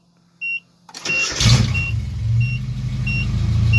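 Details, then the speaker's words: 1988 Nissan Hardbody D21 pickup, after no-spark no-fuel fault traced to burnt resistor in ECU: door chime pings, engine catches after short crank, runs smooth and even; stalled by releasing clutch. "runs perfect I just let off the clutch there to kill it but in anyway but it runs fine"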